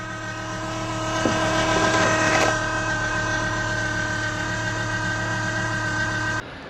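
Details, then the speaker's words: Volvo V70 (P80) 2.4 10V petrol, 124k miles, idling: steady whirring drone with a constant ringing tone from the worn cambelt tensioner bearing. The belt was last changed about 16-18 years ago and the tensioner was possibly never replaced. Fixed with a new Gates cambelt kit. "and also he wasn't sure if the tensioner was done at that time, and it is now making a noise."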